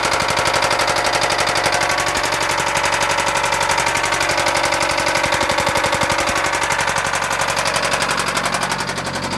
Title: 2005 MSM Rod Knock